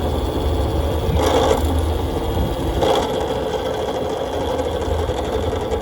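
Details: Nathan's custom Voloci electric bike, first ride in about 20 years, pulling away under power: loud rattly ratcheting hum with clunky bursts, zero torque off the line; hub motor cogging, not the chain.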